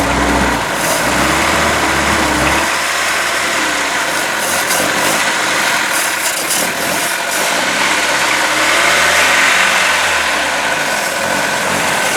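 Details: Boat inboard motor just after new manifold installation, run on water muffs about 10 minutes: uneven, loping run with unsteady, surging revs; ignition timing off and carburetor needs rebuild, oil still water free.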